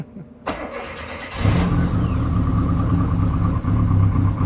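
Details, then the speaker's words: Mini Cooper first start after fitting ARP head studs and re-tightening the roller rockers and valve cover: short crank, then it catches into an even, steady idle with a deep low thrum and no knocks or misses; it sounds way better. "Oh, it sounds way better. I'm sure it probably sounds like on the mic, but"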